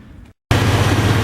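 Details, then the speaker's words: 88-95 Chevy Silverado/GMC Sierra 5.0/5.7 V8 idling after new belt and tensioner fitted: steady, even low rumble, earlier squeak gone, quiet belt drive. "hey remember that noise what happened not making a noise anymore"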